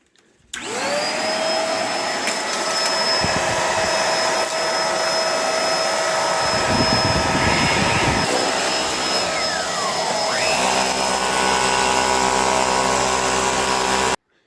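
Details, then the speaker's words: Bissell vacuum beater-bar motor on the bench after soldering a broken resistor wire on its circuit board, tested before reassembly: it spins up to a strong, steady whine at even speed with no grinding or rattle, now running normally. "All right, before I put this back together, let's see if this little gear in here spins. Turn it on. How about that?"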